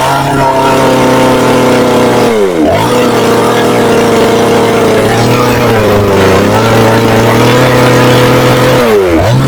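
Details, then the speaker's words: Chinese Procraft chainsaw that starts but runs intermittently, with heavy white exhaust smoke, worse once warm, then stalls: revs unevenly with wandering, sagging pitch, stumbling; rough misfiring running because the carburetor floods. "Я думав, майстри вже догадалися, в чому проблема, по характерному білому такому вихлопу і троліт дуже сильно. Спочатку ніби добре починаєш газувати, нагріється і починає троліти."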